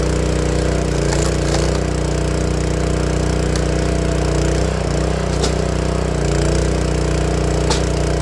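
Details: Honda GX160 log splitter engine after replacing the failing spark plug that caused popping when warm: steady, even putter with no popping or coughing; running right.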